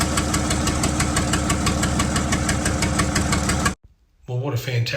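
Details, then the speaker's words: 1975 White 2-150 tractor diesel running after about 19 years dormant, unmuffled before a secondhand exhaust was fitted: loud, regular firing beats about three per second, running evenly before shutting off; normal running. "result to see this engine running after about 19 years laying dormant"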